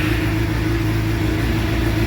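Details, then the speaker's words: Suzuki GSXR750 K7 crashed track bike, first start after sitting a long time, new exhaust silencer with baffle fitted, radiator cap off; starts on the button into a smooth even purr, no misses or knocks; FI light on. "oh yeah on the button perring like a kitten that's not bad considering she sat up for so long"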